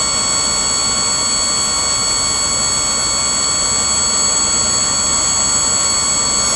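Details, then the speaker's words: Auto park brake pump on 12 volts running continuously: constant high-pitched electric whine, no cycling or labouring; pump judged not at fault for the auto park failure. "The pump's on now, 12 volts, going to it. So this is a pump. Does not appear to have any failure with it as far as cycling issues. And it's just staying pumping."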